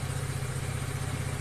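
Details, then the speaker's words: Kymco 150 motorcycle after repair of a broken bearing that caused scraping noise: smooth even low idle with steady throb, no scraping or grinding; normal idle. "yan ang original tunig niya wala na wala na yung mga kumakaskas dahil sa bearing na basag niya ito ang Sira po niya"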